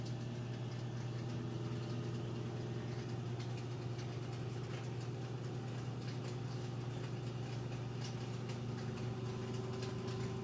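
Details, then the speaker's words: Like-new Samsung front-load washer with a load, final spin climbing toward full speed: even low hum with steady motor tone, no thumping or rubbing; smooth, not off balance, no weird noises, normal. "you can see even at that speed nice and smooth it's not off balance or making any weird noises or anything like that"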